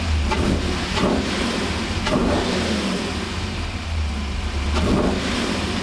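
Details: 1985 Monte Carlo SS with cammed 6.0 LS V8 (400+ hp), after fuel system rebuild and freeing stuck injectors, first start on all eight cylinders: deep even cam burble, quick throttle response, no stumble; normal idle and revving.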